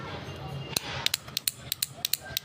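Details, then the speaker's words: Honda CG 125 special edition 2024 motorcycle with a self-start fault, starter relay on the bench connected to a battery; sharp dry clicks, about four a second and slightly uneven, as the button is pressed, relay suspected as the cause. "यह देखते देखना यह टक take करती है मैं button दबा रहा हूं इधर"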